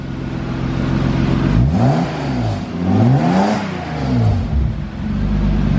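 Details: BMW E36 M3 drift school car just after intake was put back together: clean, crisp revving blips sweep up and back down smoothly with no knocks or misfires; engine revs freely, normal revving.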